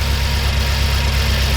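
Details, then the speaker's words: BMW M6 with the S63 twin-turbo V8 and a multiple-cylinder misfire, idling: lumpy, uneven, shaking beat under a steady drone. Coil 6 had no control signal from the ECU at pin 2. "And yes, the engine is shaking for sure."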